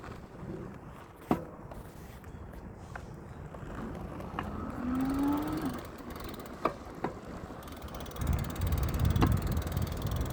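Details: Velowave e-bike while riding: sharp, irregular clunks and clicks every few seconds over rolling noise, loud clunking in the front wheel that occasionally goes away.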